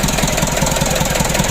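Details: Mitsubishi Canter 136 PS HDL diesel, first start after rebuild following overheating: steady low diesel beat of about five even pulses a second with no stray knocks; smooth, healthy idle.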